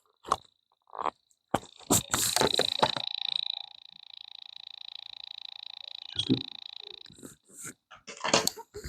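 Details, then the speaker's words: Small RC Dalek toy, unresponsive to 40 MHz transmitters, microphone held next to it: faint rapid even ticking buzz, no motor running; broken corroded wire found inside. "I'll just hold my wireless microphone next to it so you can hear the noise it's making."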